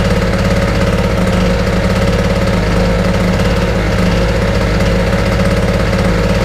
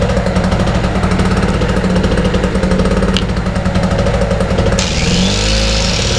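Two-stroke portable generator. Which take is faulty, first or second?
second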